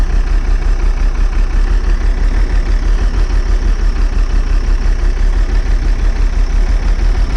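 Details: Old bus diesel, cold start after last week's fuel pipe move, started without easy start: deep, slightly uneven lumpy idle about three pulses a second, smoking cold; air drawn in at a wet, leaking fuel return.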